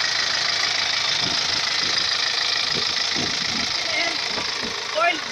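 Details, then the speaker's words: Four-cylinder Perkins diesel, smoke coming out. Steady hiss and irregular puffing over rough running; engine blow-by. "going out now Al is a smoke coming so viewers as you heard this engine is Blow by this one four cylinder peren engines"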